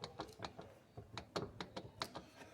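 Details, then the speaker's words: Fiat Marea front suspension: sharp, uneven clicking, about four a second, from a worn CV joint as the axle is worked. The stabilizer link also shows play. "de repente seu Maré começa a fazer barulho homocinética mocinete tá ruim essa aqui ó"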